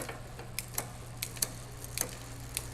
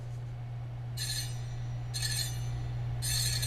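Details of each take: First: Magnum Navigator electric bike during assembly, pedaling while shifting one gear at a time from 8th (smallest cog) to first and back: soft clean clicks, no dragging or extra noise; normal factory-adjusted gear shifting. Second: Magnum Navigator electric bike, wheel spun out of the box: a bright metallic scrape about once a second over a steady hum. The disc brake caliper is rubbing the rotor. Fix: loosen the two 5mm caliper bolts on the fork, center it, retighten.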